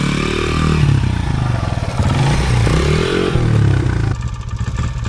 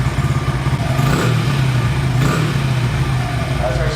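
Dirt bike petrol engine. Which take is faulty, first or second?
first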